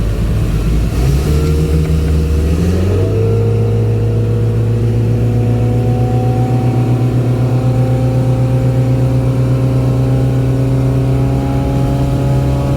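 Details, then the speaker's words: Boat sterndrive after fixing the missing upper exhaust bellow, bad gimbal bearing and seized U-joints, mic behind the windshield while under way: engine climbs smoothly into a steady, even, quiet drone with no knocks or misses, wind rush behind; running healthy. "i made one little lap so far this thing is so smooth so quiet"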